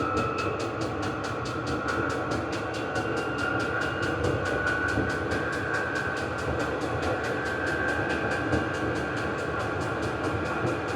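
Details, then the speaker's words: Vevor 8 kW 12 V diesel parking heater, about 71–72 dB at maximum, exhaust muffler fitted: steady blower roar with a clean, even fuel-pump tick about four per second; heater running normally at full output. "that's the exhaust muffler going to speed it up a little bit do the maximum"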